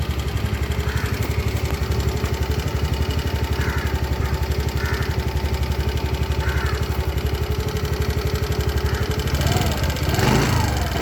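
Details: New 2024 TVS Jupiter 110 E20 scooter: fast, regular ticking chatter, about four per second, over a steady idle. The owner says it is noisier than the previous vehicle; the cause is unclear.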